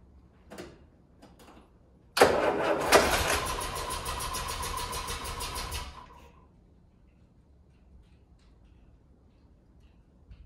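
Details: Land Rover Series 3 first start after PCV valve installation: faint clicks, then engine bursts into life harshly, runs raggedly about four seconds and dies; abnormal start, cause unknown.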